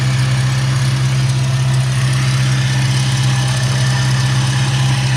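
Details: 2004 Ford Mustang Terminator Cobra supercharged V8, under hood at idle: faint thin chirp-squeal from the belt drive; tensioner pulley jumping and idler with slight play suspected, original tensioner being replaced with OEM Motorcraft BT63.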